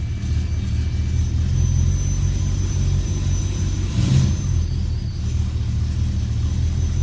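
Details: Multiple-misfire code on a BMW E92 M3; uneven, lumpy idle with wavering low rumble and occasional stumbles, popping badly on cold start; rough idle with misfires.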